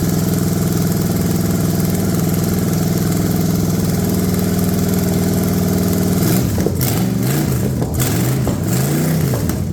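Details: Cheap Ford 460 V8 revival run, lawn mower tank gravity feeding original mechanical pump, no coolant: smooth even idle, then crisp revs rising and falling cleanly, no clatter or smoke; normal idle and revving.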